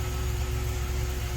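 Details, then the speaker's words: 1990 Dodge Grand Caravan LE being restored after sitting, no instrument cluster connected: steady low idle just after starting, with an even pulse and a faint constant tone, no knocks or stumbles. Normal idle. "but it's alive and it sounds good kind of spotter to life but hey it's alive"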